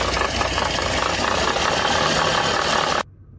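A running engine with a dense, gritty rattle and uneven knocking from a failing water pump.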